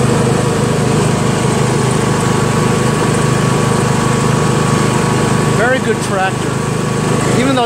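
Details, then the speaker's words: Yard Machines MTD lawn tractor, 20hp Briggs single-cylinder OHV, CVT transmission, driven after magneto bypass, oil change and deck repair; even, steady constant-pitch drone without misses or knocks, pulling cleanly with good acceleration: normal running under load. "a pain in the ass to work on runs nice to feel the horsepower smooth"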